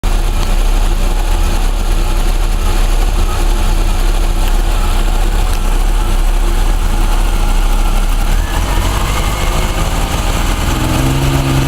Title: Orion Zetec misfire